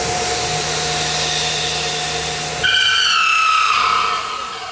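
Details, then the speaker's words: Half-inch roughing end mill interpolating a pre-ream hole, plunged at a pre-drill position then moving out radially: a loud steady squeal that wavers and fades. End mill chatter from heavy engagement on the first bit of motion. "that is some chatter. So the concern is you've got so much engagement on that first little bit of motion."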